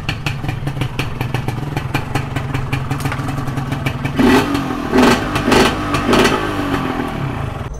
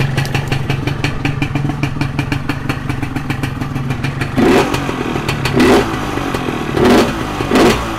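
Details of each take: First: Modified Yamaha 125Z two-stroke: crackly idle, then four sharp throttle blips that rise and drop back cleanly; the engine runs properly. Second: Modified Yamaha 125Z two-stroke idles, then about eight quick throttle blips with a burbly, lazy pickup down low; the mixture is set too rich, hurting low-RPM response.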